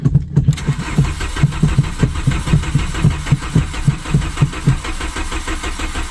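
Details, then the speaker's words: 1997 VW Vento 1.8 automatic with a vacuum line pulled off the back pipe and throttle given: steady cranking about three thumps a second with uneven pulses, seems to try when cranking stops, never catches; crank no start. "Come on. [music] It tries to start when I take when I stop."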